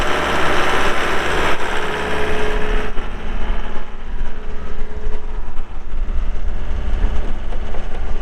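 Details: 2020 Gehl V270 Gen 2 skid steer, 72HP Yanmar diesel, 3,145 hours, during operational run; loud, even diesel clatter holding a steady beat with no knocks or misses, running normally.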